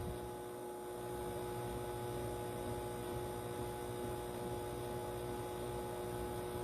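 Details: Loud, steady electrical hum with even overtones from a 12 V 1200 W MagnaSine Magnum Energy inverter-charger on a 14 V 75 Ah lithium iron phosphate pack (starting at 13.8 V) during a washing-machine load test near its maximum; inverter suspected straining under heavy load.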